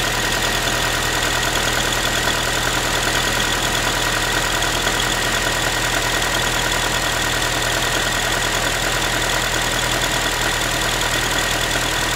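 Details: Ford Focus 3, 1.6 (125 hp) engine idling after a cold start: a thin tinny, pan-like metallic rattle of roughly two beats a second over the steady idle; cause not identified, owner asking what it is.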